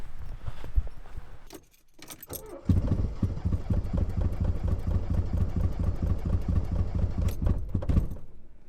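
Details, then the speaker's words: Porsche transaxle car with 2.0 Audi engine, morning idle: lumpy uneven thump with beats dropping out, running on only two cylinders; engine later swapped for a replacement. "I am now going to attempt to get my two-cylinder for sure all the way to the workshop I have very low confidence in this very low"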